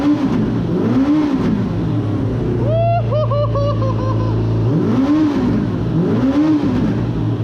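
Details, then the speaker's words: Suzuki RF900 with a new engine at first start-up, throttle cables worn and one hose leaking: idles steadily, then picks up cleanly on several blips and drops back smoothly. Normal revving. "I can rev it finally give it some gas and maybe that's all I needed"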